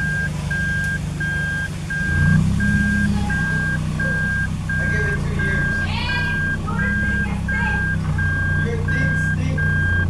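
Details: Car (Mark's) test-driven after months of repairs, new axle, tie rod, fluids and bled brakes, checking gears: steady high beeps about one and a half per second over a low engine hum; reverse selected, reversing alarm works normally.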